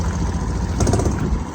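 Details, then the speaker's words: Kubota B7200 subcompact tractor diesel just after cold start at 15 degrees, slightly smoky: lumpy uneven idle as if one cylinder is weak, also happens in summer; owner suspects a glow plug, not confirmed. "You see that? Kind of funny idle. It does that during summer sometimes too. Makes me think one of those glow plugs is acting a little weird or something."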